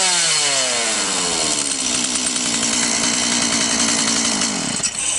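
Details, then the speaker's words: Stihl chainsaw that wouldn't start due to a flooded spark plug, after draining fuel and drying the plug, revs smoothly to a high, even two-stroke scream and holds steady; running properly again. "И пила снова в рабочем состоянии."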